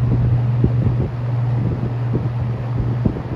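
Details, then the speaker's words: ~1977 Superlectric 2083 fan, first run, on medium: deep steady mains-frequency buzz under the airflow rush; owner suspects a winding that had a loose wire. "it's buzzing medum yeah one of the windings had a loose wire so it's probably that"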